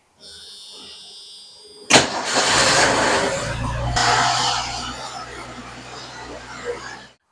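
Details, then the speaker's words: Car after weeks of fuel-system work, new tank sending unit, about four gallons, engine parts from another engine: short crank and quick catch to a steady idle without stumbling; fuel system now sorted, normal start and run. "Well, finally after all these weeks, finally got the fuel system figured out."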